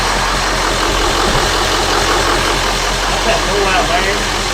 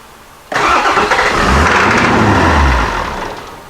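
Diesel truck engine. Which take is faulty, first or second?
second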